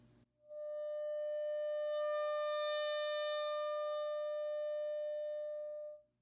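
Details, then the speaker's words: Heathkit T4 tube amp converted to a guitar amp, probe clamped at the coupling capacitor feeding the beam power tube; a steady test tone turns buzzy and edged at full volume, so the amp clips near the top of its range. Cause unconfirmed. "also is noticeable sad when when you really take it up to the top [Music] and distortion all the weight the end you could see that"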